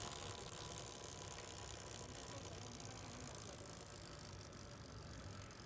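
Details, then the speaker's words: Motorcycle rear wheel spinning in neutral after replacing a worn retaining clip ("seguro"): only a soft, even chain whir with no knocking. The earlier "taca taca" noise persisted after a new chain and sprockets but is now gone; the chain drive sounds normal. "Miren que ya no se escucha ese ruido molesto. Se escucha solamente el giro normal que genera la cadena."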